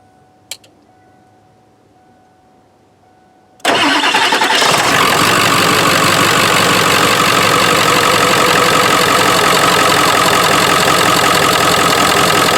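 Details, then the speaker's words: 1997 Ford F350 Powerstroke diesel dually, cold start after sitting a week: catches almost instantly, then settles into steady, even diesel clatter at idle, no misses or knocks; healthy engine. "This is a 97, and it just started that easy after sitting for a week. So the engine is really fantastic."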